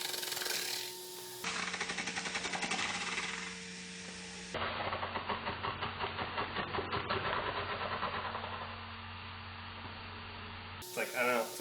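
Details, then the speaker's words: 2001 Ford Expedition 2WD wheel bearing, wheel spun by hand: a light plastic-like scrape about three times a second, not grinding, like a card in bike spokes. Owner notes a weird sound when turning left; rubbing, cause unclear. "stuff it's not grinding or anything it's like like plastic hitting if you put a card in your spoke up your tire of your bike and your spokes are all plastic"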